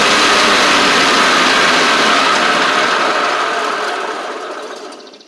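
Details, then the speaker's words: Cub Cadet Ultima ZT1 zero-turn with a bent 42" deck and badly worn blades replaced: steady whir of freely spinning blades easing down as they wind off, no slapping or contact. Normal blade operation; blades stay engaged with PTO off, suggesting a faulty PTO clutch. "I forgot that's what was happening last time I was here too, but y'all hear the blades are working fine."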